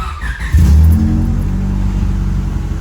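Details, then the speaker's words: Honda Civic on jack stands, microphone under the car: engine starts into a loud, low, raspy blatty drone from an exhaust leak ahead of the muffler; dented where it bottomed out, leak being located. "So I'm just gonna go and start it up, crawl under the car and see if we can't locate the exhaust leak."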